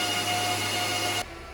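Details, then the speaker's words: Bitmain S19J Pro 104TH crypto miner, just plugged into the PDU at startup: steady high fan whir with a thin whine, then it drops away sharply; fans running normally at startup. "Alright, we're plugged in. It's gonna start firing up. It's gonna get a little bit louder. Alright guys, fans just picked up a little bit."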